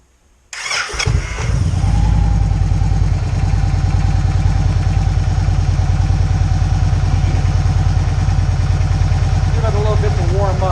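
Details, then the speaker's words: 2012 Victory Cross Country 106 V-twin, 47,000 miles, just reassembled after shifter mechanism replacement for hard downshifting into first: catches on the first crank, then settles into a strong, even idle lope; normal start. "but we're gonna fire it up here see how everything works so if it runs through the gears and we'll give it a shot"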